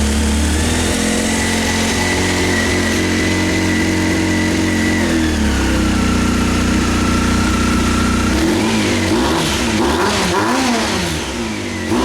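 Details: 1998 Honda CBR after carb rebuild, new spark plugs and K&N air filter, tried with choke on then off: uneven, lumpy idle, revs waver and stumble on throttle blips; still running rough, cause unknown.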